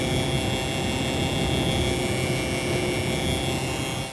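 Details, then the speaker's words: Resold gaming PC during a Warzone game test: loud, steady rushing whir with a faint constant high tone, no speed change; abnormally noisy graphics card fan while both fans still spin, cause not confirmed. "All right, so we're about to test Warzone here in Resurgence game mode, but I just want y'all to hear this fan on this graphics card."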